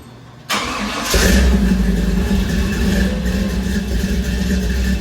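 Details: 1956 Chevy build, start after new exhaust with headers and Flowmaster mufflers: engine cranks, fires and settles into a steady idle with a deep, even exhaust burble.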